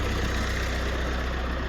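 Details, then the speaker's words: 2016 GMC Canyon 2.8L Duramax diesel, high mileage, after timing belt, water pump and tensioner replacement: low steady diesel idle, even rumble, no ticking, slapping or whining, belt not flopping; normal idle. "no weird noises that's good bel's not flopping"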